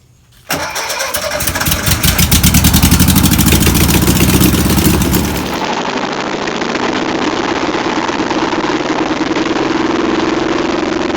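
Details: Old VW pressed-bumper panel bus that sat over 50 years, fuel pump suspected bad: the starter cranks for about five seconds, then the engine catches cleanly and settles into a steady, even idle. Normal start and idle.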